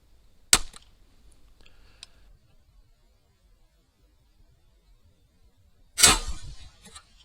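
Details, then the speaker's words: Slingshot crossbow on an experimental band/string setup shooting a 440-grain arrow: a sharp crack, then a loud slapping shot with a brief rattle as the bands and string strike the riser. It is still loud and about 10 fps slower; the owner suspects the trigger latch adds noise. "well it was worth an attempt it's still loud and it ain't shooting very fast so we'll go back with our other setup"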